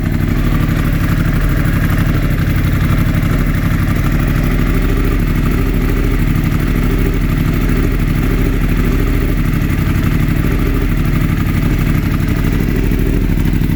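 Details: 2016 Yamaha R1 after a mild lowside crash: lumpy uneven idle with a regular stumble, constant misfire on cylinder 4; swapping coils with cylinder 1 did not move it, cause not found.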